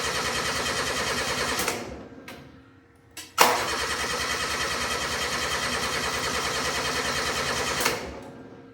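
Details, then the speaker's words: Steiner 230 tractor with Kubota gas engine, after battery charged at 40 amps: starter churns fast and even, stops, cranks again without catching; no spark; crank no start. "Okay, we're still not starting. So, I guess first things first, uh, let's see if we have spark."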